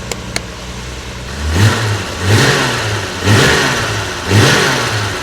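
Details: Series 1 Jaguar E-Type after a complete ignition system overhaul, first start on a little choke: four quick blips from idle, each rising and falling crisply without stumble or misfire; engine revs cleanly and healthily, timing checked good.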